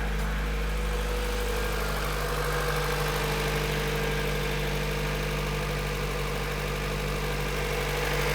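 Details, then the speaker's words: Honda CRX VTEC with only 1,400 km, mechanical restoration finished, idling just after start-up: smooth, even idle with a steady low hum and no knocks or misses; engine sounds healthy and settled. "Alors on va aller l'entendre tourner un peu."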